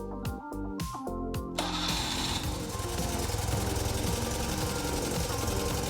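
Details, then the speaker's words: BMW R60/7 boxer twin after electronic ignition installed, slightly warmed, idle reduced: a few cranking bursts then catches and settles into steady low idle without misfires, takes throttle well; ignition firing properly. "I warmed up the engine a bit. And now I'm going to turn it on and I've reduced the idle gas a little. And it takes gas very well."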